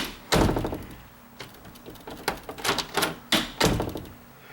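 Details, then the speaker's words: Chattering door after bending the strike plate tab: short hollow thunks and a click in uneven bursts when pushed, despite no gap; tab adjusted slightly too far, door possibly not perfectly straight. "now see when I close it like that it should be less all the way but if I pull on it here click that means this is pushed over just a hair too far"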